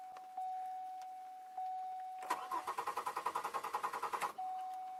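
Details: 2002 Chevy Malibu start/no-start, sat 4 months, rainy weather, retried after 2 hours; anti-theft ruled out, ignition coil suspected: steady cranking about 3.5 beats per second for two seconds, never fires; cranks, no start.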